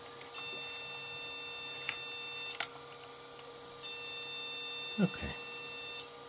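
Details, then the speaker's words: Mini Pentium PC from an old jukebox, with the hard drive and then the floppy drive disconnected. At power-on, two long high-pitched beeps of about two seconds each sound over faint fan hum, a memory fault code. "okay let's see if we can do anything about that it's beeping which is better than not beeping"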